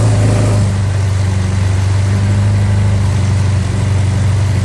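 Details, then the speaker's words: Austin-Healey Sprite with a newly installed 1275cc A-Series engine on first start: steady, fast low rumble about four beats a second with no hunting. Idle speed too high; throttle to be backed off before setting timing. "Sounds like the engine is idling too high, so I need to back off the throttle just a little bit."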